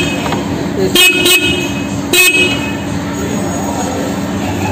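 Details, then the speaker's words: New Honda PCX 150 horn: three short thin feeble toots over street noise; weak horn because unit shifted, fixed by pushing it back into place. "terus klaksonnya bunyinya itu pelan seperti tadi yang di awal"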